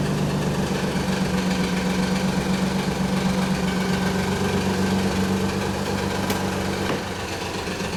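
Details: 1991 Nissan 300ZX (Z32), cold idle, noise gone after about a minute of driving: fast, fairly even rattle about four a second from timing belt slack, caused by a collapsed tensioner; upper and lower idler pulleys also noisy.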